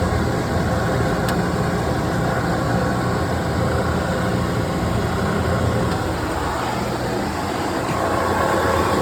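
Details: Oil burner temporarily converted to direct spark after a gas leak, run on low fire for a carbon burnout: steady, even roar with no pulsing, sputtering or flame-out; flame holding normally after a false-flame issue was fixed.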